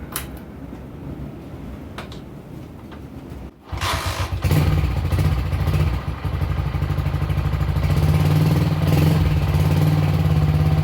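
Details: Honda CG125 with high-throttle running problem, after replacing ignition control module and ignition coil (carburetor checked clean): single-cylinder fires up and revs with a slightly uneven, stuttering beat; owner thinks it may sound better, suspected ignition module fault.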